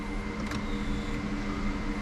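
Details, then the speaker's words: Turbo Mini Cooper after sitting two years, first key-on with the ignition coils unplugged to build fuel pressure: steady low electric hum with no cranking. Fuel pump priming; engine does not turn over. "I just hear the fuel pressure or the fuel pump."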